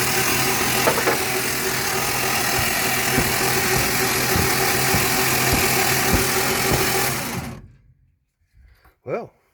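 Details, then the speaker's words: 1960 FB engine (old grey motor) for a 1961 ute, cranked over on a crude test setup: even steady churn about four strokes a second, no knocks or clatter, then it stops; the engine turns over freely, no bad knocks. "doesn't seem to be mad death knocks anywhere so that's step one"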